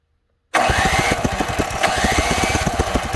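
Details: Neighbor's Power Smart snowblower, 212cc OHV engine, won't start: steady electric-starter whir with compression pulses but never catches; strong spark seen, so a fuel/carburetor problem is suspected.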